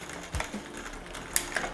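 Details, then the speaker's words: Geared bicycle after loosening the shift cable and adjusting the barrel adjuster to stop a ticking noise: a few light chain ticks, then a crisp click as the chain drops onto the next cog, no grinding; clean upshift. "Okay perfect shift पहला वाला second shift भी अच्छे तरीके से हुआ third shift भी अच्छे से हुआ"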